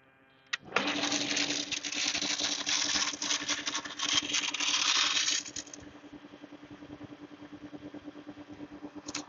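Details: Jet pump started with the outlet tap closed fully, automatic pressure cut-off around 30: motor starts with a steady hum and a loud rushing hiss that dies down after five seconds as pressure builds. Normal start-up.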